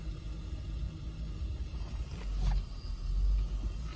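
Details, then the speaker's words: 2010 Lincoln Town Car Executive L, 4.6L V8 flex fuel, 374,000 miles, in park: low rumble surging and sagging every second, idle bouncing 500–700 rpm, each firing audible, jumps when steering turned; rough idle. "it's almost like you can hear each time the actual firing goes off and it just sounds like it's rough"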